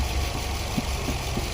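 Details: 2019 Nissan Pathfinder 3.5L V6 idling and warming up, fuel trims near balanced at about 4-5%; even settled idle, soft steady hum, no stumbles or surging; normal idle.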